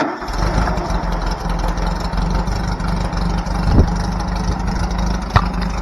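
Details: Trike engine just after a new fuel line and throttle cable system were fitted, with no fuel leak: it fires and holds a steady mid-pitched idle with a couple of sharp taps, running evenly with no misfire; normal idle.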